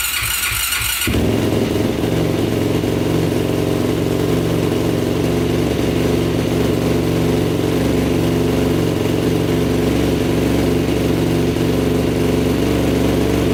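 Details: 2006 Yamaha YFZ450 special edition quad: starts, smokes heavily, and shuts off when the choke is turned off; steady, slightly uneven idle; blown head gasket confirmed with cylinder head bolts found barely torqued.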